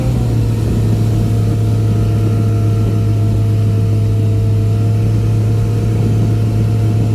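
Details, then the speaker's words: Boat outboard, back on after repairs, trimmed and run wide open on the lake near 5000 rpm and about 50–52 mph, above its 3500–4000 rpm cruise; mic behind the windshield. A deep, steady drone with no misses or knocks: a normal full-throttle run. "well there you have it um trimmed it up ran it wide open so that was quite a bit above cruising speed"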